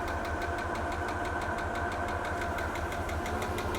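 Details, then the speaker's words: Bentley T, first start after a few months sitting, idle: light regular tick-knock about five a second over the engine hum; owner suspects the rear brake pump has snapped its rod, not confirmed. "You hear that little knocking sound? It's normally it sounds like the rear brake pump. I've got a feeling the rear brake pump has snapped its rod."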